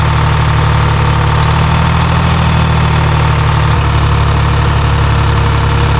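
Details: Timberjack skidder diesel after swapping the mismatched N50 injector: deep, even idle with a steady low drone and no misses or knocks; runs better.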